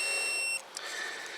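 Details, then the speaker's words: Kymco Agility 125 scooter won't spark; continuity beep across the two-wire stator pickup coil leads shows steady high tone, windings joined and shorted to each other; shorted stator coil. "they're joined they're shorted out to each other"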